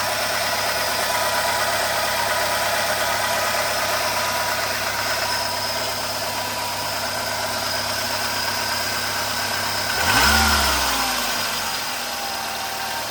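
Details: 2008 Renault Logan 1.6 8-valve, 144,000 km, engine cold, timing parts replaced and valves adjusted: steady idle with a light metallic tapping, about three a second, through a brief rev. Engine knock, cause unknown.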